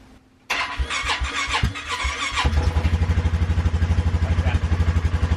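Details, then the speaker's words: 2017 Polaris Sportsman 450 after first service: a few uneven starter clicks and cranking bursts, then the single-cylinder engine catches and settles into steady thumping; dealer says clicking a few times before starting is normal. "so it is supposed to click a few times before it actually kicks in I'll show you that here"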